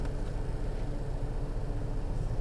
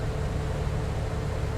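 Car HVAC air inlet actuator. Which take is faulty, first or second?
first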